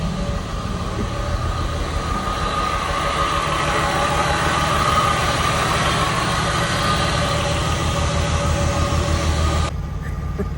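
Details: VR6-engined Cali MK1 VW, just running after no-crank fix and new correctly rated battery; strong even six-cylinder drone, no knocking; engine runs strong, normal running.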